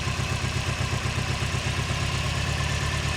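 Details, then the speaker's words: Engine at idle, out of gear, with poor exhaust: lumpy uneven idle with a stumbling low chuff; pulling cylinder four's coil causes no change; coil packs swapped without change; a dead cylinder suspected, compression test next. "see it's running really rough and then if we pull number four that again there's no change"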